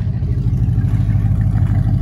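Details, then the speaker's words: 1960 Buick with exhaust cut off by grinder and sawzall, about 12 inches of pipe left off each manifold, old muffler holed and system hanging: loud raw unmuffled bark and coarse low rumble revving, like a farm truck or WWII bomber; open exhaust. "and now i have a 1960 buick that sounds like a farm truck slash world war ii bomber plane when you're going down the road"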